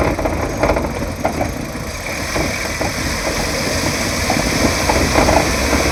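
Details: Kia Cerato road test, microphone near the right wheel: irregular hollow knocks over road rumble on bumps from a blown front shock absorber; worn shock absorber knock.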